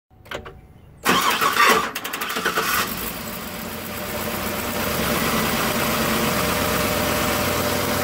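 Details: 2008 Chevy 6.0 LS: cranking cuts in and out in short broken bursts before the engine catches and idles. The starting issue turned out to be a bad starter motor.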